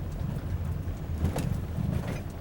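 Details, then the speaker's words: Car driven over speed bumps, heard in the cabin with the windows up: a heavy rumble with hollow knocks and an echoing rattle from the front suspension. Worn front struts are suspected; control arm bushings or ball joints if replacing them doesn't cure it. "A rattle sound, echo rattling sound. That is suspension related. I believe it's the struts."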